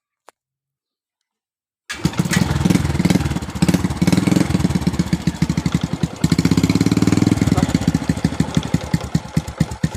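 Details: Stock-engine Honda Wave 125 with a weak battery, setup for an elderly rider: after a quiet pause it fires up and settles into an even single-cylinder putter with no odd noises; runs normally.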